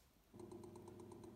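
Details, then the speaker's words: Miele WKR 771 WPS washer with TwinDos, running an about 8-minute flush cycle: a steady hum with a light, even tick about eight per second as the dosing pump draws in water; normal. "you might be able to hear that ticking that's just the component to pump just drawing in water and I'll do that for about eight minutes just to flush through the system"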